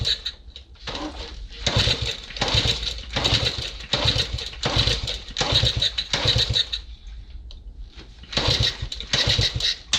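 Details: Honda CT90 being revived: repeated kick-start strokes about 80 per minute, each a brief churn dying with no firing; engine turns but won't catch, owner considers trying ether, cause unconfirmed.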